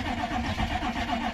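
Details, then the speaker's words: Crew cab Chevy C20 diesel, glow plugs run, little fuel in tank: sluggish uneven churning with labored pulses and no firing, starter dragging on weak batteries (about 8 volts cranking). Slow cranking from low battery voltage. "3 two 1 go I suppose yeah that's definitely not enough"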